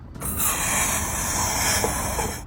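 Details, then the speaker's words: Car fuel tank cap being unscrewed: steady puffing hiss about two seconds from trapped tank pressure; suspected cause the activated carbon canister solenoid valve / blocked vapour vent. "When I unscrewed the fuel tank cap just now, there is a puffing sound."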